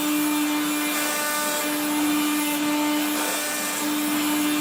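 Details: 1970s Regina Electrikbroom 3-speed vacuum running while vacuuming: a steady high motor whine with a rough, gritty rasp underneath. The motor and especially the fan are dry after someone washed it, so worn or dry motor bearings are suspected.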